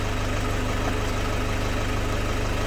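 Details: 2008 Toyota Fortuner diesel, after the suction control valve repair cured the crank-no-start. Smooth, even idle with a steady low throb and no misses, knocks or hunting; healthy.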